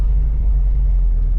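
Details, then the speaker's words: 1985 Oldsmobile Cutlass Supreme with a brand-new carburetor, test drive around the block with water temperature under 100: a deep, steady low idle rumble with no stumbling or dropouts. "All right, so far so good. All right, I'm on idle."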